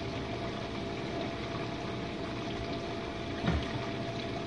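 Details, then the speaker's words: Jenn-Air dishwasher on Quick Wash cycle with no heat dry, one Cascade pod, main wash after detergent dispenser opens; earlier had low recirculation noises from suds. Low even hum, water swishing and sloshing, no grinding or squeal. Normal wash pump circulation. "And this is the main wash, guys. Alright, let's go take a look."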